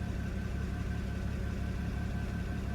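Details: 2008 BMW 335i (N54) that began misfiring on a drive: uneven, lumpy idle with a low rumble that stumbles now and then; code not yet scanned, cause unknown.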